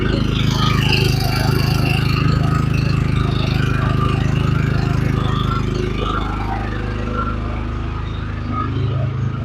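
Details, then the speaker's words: Champion 3400W inverter generator running with a newly installed through-wall exhaust kit: a steady, even low hum at constant speed with no surging, knocking or misses. It runs normally and is fairly quiet with the cabin door closed. "When I close the main cabin door, it's fairly quiet. Quiet enough."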